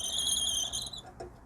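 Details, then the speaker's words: Classic Fiat 500 12V dynamo, drive hub turned by hand during brush swap: a thin, high squeak that fades, no grumbling; bearings judged healthy. "okay you can hear the bearings are okay in there there's no grumbling a little bit of squeaking"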